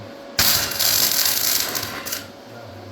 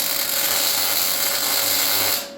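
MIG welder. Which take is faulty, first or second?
first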